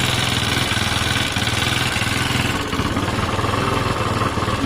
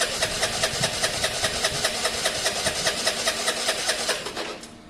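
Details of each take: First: Honda SH125 scooter with about 68,000 on the clock, brought for its MOT: even, quick putter at idle with a steady beat and no knocks, misses or rattles; normal idle. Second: Scooter from a Honda SH125 / Vespa project, on the electric starter, ran poorly last week: steady churning bursts about 2.5 pulses a second that never catch; cranks but won't start. Owner suspects air in there, the engine backing up, or a miswired stator.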